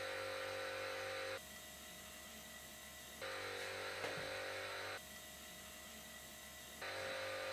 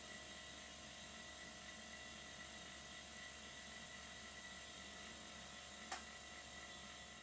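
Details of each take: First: "Silent" workshop air compressor recorded at the same camera distance and settings as a quiet one. Steady whirring pump with a high whine, loudness stepping up and down; tone changes when air is let out, sometimes quieter when tipped forward: excessive compressor noise. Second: Existing "whisper" silent workshop air compressor, used to supply air to miniature steam engines, tested with a new air fitting: very quiet steady high hum with faint whirring, no knocking or rattling; running smoothly.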